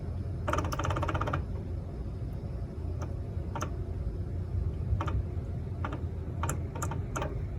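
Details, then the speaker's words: 2016 Jeep Wrangler Unlimited Sport rear differential: slow, subtle, irregular light ticks and a brief rattly burst over low driving rumble, heard when turning right; owner suspects worn or loose spider gears; diff cover appears to have been opened before; unconfirmed. "that ticking noise we're getting from the from the back and it's it's not really a sharp tick it's a very very slow subtle sound"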